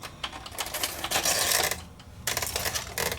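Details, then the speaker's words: Electrohome EH8003B HiFi VCR powered up after about a dozen years unused: bursts of clicking and whirring from the loading mechanism that start and stop; tape wound around and stuck to the head drum, failing to eject. "Well, not really kind of wound around here."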